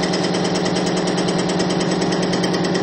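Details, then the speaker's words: Bearing extreme-pressure test with Bitron-treated diesel fuel, loaded from about 200 to about 350 lb where plain diesel failed near 50 lb: even whirring about two beats a second, getting quieter, with no screech or grinding; smooth running, not seizing. "lb of weight you can hear it's actually getting quieter and quieter the longer we go in this test I'm up over 300 lb to about 350 lb of weight right now and it's still not seizing"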